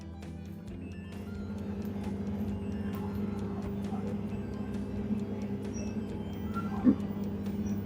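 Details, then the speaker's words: LG T1732AFPS5 17 kg top-loader washer after display PCB replacement: door locked, drain pump working, drum spinning with a steady low hum and no knocking, so the direct-drive motor and spin cycle are normal. "Now you can see, dear friends, it is machine already got start. Drum rotating, that's mean DD motor is okay."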